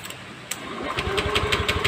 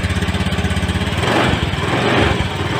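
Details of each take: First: Honda Scoopy eSP scooter, brought in not starting; scan showed injector code 12 and a blown injector fuse. Starter churns steadily, about six beats a second, never catches; ECU sends no negative (ground) signal when cranking, so the ECU is confirmed faulty. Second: Fuel-injected motorcycle, the first start after replacing its burnt ECU and blown fuse: a couple of blips, then a steady, even idle at about three beats a second; runs clean.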